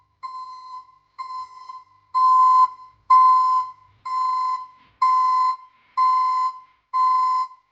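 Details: ECCO 530 backup alarm newly installed at the rear of a Chevy Silverado pickup: loud steady clean single-tone beep about once a second, evenly spaced, commercial-sounding; working normally.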